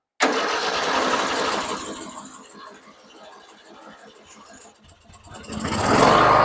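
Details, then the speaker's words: Old long-sitting Murray riding mower with weak battery, carb cleaner sprayed into the carburetor: starter churns unevenly with ragged bursts picking up toward the end; tries to fire but does not run. "we're going to try to maybe squirt a little bit of carb cleaner into the carburetor real quick. Okay, go ahead and crank it over."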